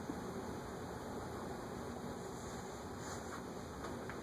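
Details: Casablanca Four Seasons CB-4444 three-speed ceiling fan with walnut blades, on medium speed drawing about 0.42 A: a soft steady whoosh of air with no ticks, wobble or hum surging; it runs evenly and sounds healthy.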